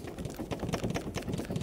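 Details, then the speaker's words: Volvo V50 (C30/S40/C70 type) driveshaft being removed for replacement: shaft rocked by hand gives loose irregular clunks and knocks, a lot of noise and movement. Worn driveshaft CV joint play. "you can probably hear that is quite a lot of noise and movement in that drive shaft"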